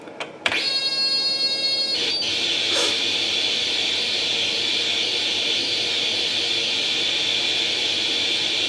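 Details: Atari 800 XL after a RAM-chip transplant fixing a 5V-GND short, loading International Karate from cassette: a few short beeps, then a steady high whistle holding pitch with no dropouts; the game then starts; normal cassette data loading.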